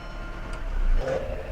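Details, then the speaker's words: VW Jetta 2.0L after repair of a timing fault that came within two teeth of destroying the engine, engine mount still off, check engine light off: smooth, even low idle with no slapping, ticking or chirp; noise gone. "And you can clearly see that that annoying, horrid sound is gone. So we do have a fix."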